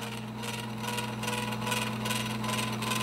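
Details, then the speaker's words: Edison Amberola 1A mechanism in reproduction Opera case, wind-up cylinder phonograph: steady hum with whirring whine from brass gear meshing with pinion gear, pitch rising as speed control is turned faster; normal gear mesh noise. "you can hear the whine of the motor and what that whine noise is is actually this brass Gear meshing with the pinion gear"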